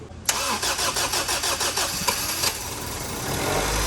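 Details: Honda Civic after swapping in a replacement stock engine (old one had rod knock in cylinder 2), new battery, third start attempt: several cranking pulses then catches into a steady, even idle; clean start.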